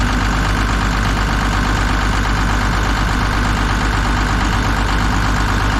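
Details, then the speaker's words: Kobelco SK250 excavator, believed 2006, diesel, just started after exhaust manifold replaced; deep even chug at idle, steady beat, no skipped firing or exhaust puffing, warming up; sounds far better than before, normal idle. "well it sounds light years better than it did before we'll give it a second to warm up here and then we'll throttle it up see what it actually sounds like"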